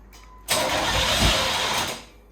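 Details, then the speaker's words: Non-running 1989 Chevy Camaro IROC-Z convertible: engine fires and runs roughly for about a second and a half, then dies; suspected fuel issue from very old gas. "one going to start oh so you can kind of hear it start a little bit so now it's a fuel issue gas is really old"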